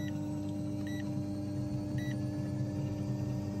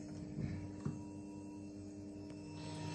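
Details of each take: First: Two electric fuel pumps on a test rig at 100% PWM duty through a fan-speed control module, drawing 35 amps at 500 kPa fuel pressure. Steady low drone with slight throbbing, labouring; the rig's supply can't keep up. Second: Two fuel pumps on PWM speed control via fan control module, dropped to idle duty at about 11 A after 100% duty test: quiet steady electric hum with a constant whine underneath, no surging; normal fuel pump operation.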